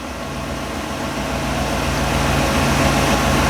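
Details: 1957 Chevy, hard starting traced to stale premium gas, tank siphoned and refilled with fresh fuel: even steady idle that smooths and firms up over a few seconds, no misses or knocks; normal idle.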